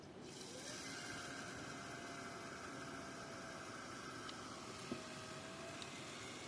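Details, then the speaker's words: Deepcool LT720 liquid CPU cooler pump after disassembly, cleaning and refilling to fix crackling noise, first run connected to PC: faint steady low hum, no crackling or gurgling, getting quieter as air purges; pump running normally after repair. "как можете слышать помпа уже не даёт характер звуков и с каждой секунды становится всё тише и тише"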